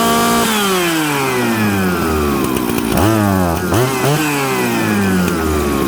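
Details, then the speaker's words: Jonsered 630 Super / Husqvarna 266 mixmaster chainsaw, warm: with the high jet leaned a hair too far it also leans the low circuit, so it bogs with sharp dips when the throttle is touched. "when i leaned out the hijack too much just a hair too much it actually affected the fueling on the low jet and when i touched the throttle what did it do it fell on its butt"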